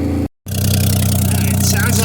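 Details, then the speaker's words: 1982 AMC Concord at idle: loud puffing, chuffing beat on each firing pulse from the front exhaust pipe, which hangs low; a rotted hanger broke away, possibly from a forklift lift at the impound, leaving an exhaust leak at the front. "I hear it but it's somewhere in the front here because the front is hanging lower than the chassis"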